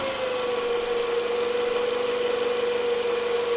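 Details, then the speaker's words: 2008 Toyota Camry with battery light on, idling in shop: steady high whine at idle from the alternator area that went away when revved; alternator diagnosed faulty. "the customer came in complaining about a noise at idle and as soon as they revved the car up it seemed like the noise went away"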